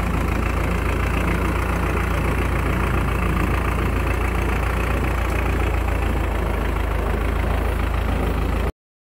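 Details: Belarus MTZ-82 water-cooled diesel tractor idling after -25°C (-13°F) cold start: heavy, steady low clatter about four beats a second; hydraulic oil is cold, needs a block heater too.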